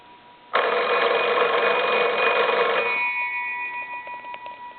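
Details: Old Kellogg-type wooden wall crank telephone after repair, rung from a line analyzer: a clear, even bell rings for about two seconds, then fades out cleanly; the ringer is working normally.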